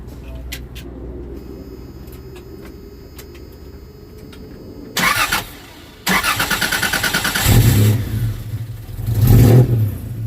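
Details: 1992 Toyota 4Runner SR5 V6 4x4, 3.4 engine swap, new Flowmaster exhaust, factory airbox, first fire-up test: brief crank, engine catches, deep throaty revs rise and settle evenly; normal start and rev, owner unsure if too loud.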